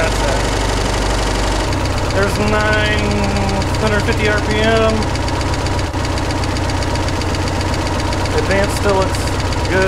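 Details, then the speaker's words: Budget boat inboard engine, rebuilt after failing within an hour and a half on the lake, running on water: idle with a ticking that returns and turns into an intermittent knock; owner suspects re-destroyed bearings. "Okay. Still got a ticking noise I don't like. Alright guys, I'm sure you could hear it on the video, but the ticking came right back and it turned into a knocking and it's coming and going, so I think we re-destroyed a bearing or two."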